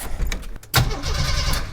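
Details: 1987 Jeep YJ 4.2L AMC inline-six, carbureted, sat 7+ years: thump as key turns, then steady unlabored cranking before attempting to start; healthy cranking.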